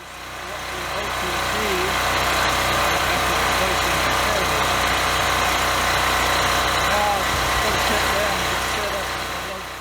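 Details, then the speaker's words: Westinghouse WGen3600 generator with replacement carburetor, running without load after 1400 W heat-gun load removed: even steady engine note, no hunting or surging. "the unit starts without load and run smoothly without surging"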